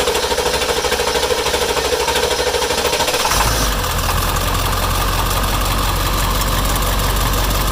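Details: Ford 7.3 diesel with hard/no-start from low oil pressure, suspected dried injector O-rings, HPOP or IPR valve: about three seconds of steady cranking, then fires into rough clattery idle.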